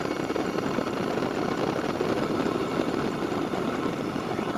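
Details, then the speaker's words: Wippro 5/8 kW all-in-one Chinese diesel air heater on its first start, with no fuel pump priming, for a 2000 Freightliner MT45 van: smooth, constant fan and burner roar with no surging or popping. Normal running. "I didn't prime the pump I didn't Prime anything and it just fired right up perfect"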